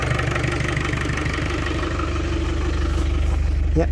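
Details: Land Rover Discovery 300Tdi diesel, first run after a donor engine swap with a mechanical injection pump, new timing belt, alternator, turbo and valve clearances set. Steady, even, low idle clatter with no misses or knocks; the oil pressure light goes out. Running sweetly.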